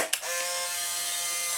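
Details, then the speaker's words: Restored Polaroid SX-70 cameras: clean, even buzzing whir about one and a half seconds between two crisp clicks, no grinding; motor and gear drive cycle properly. "it's taken me the better part of like three solid days but they're all functional as you can see and hear"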